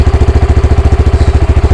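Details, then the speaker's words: Honda Grom with erratic idle and engine light, throttle position reading about 9.4 and revs about 1800: fast, surging idle set too high, idle screw being turned down toward about 1600 rpm. "Well, because you can hear it surging, I'll start turning it down."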